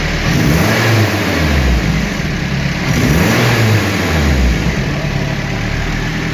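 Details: Turbo 240SX with a prototype intake placing the MAF farther from the turbo, at the end of an extended stock intake: revs up and settles twice, smooth and even, no stumble or cut-out. Now running properly.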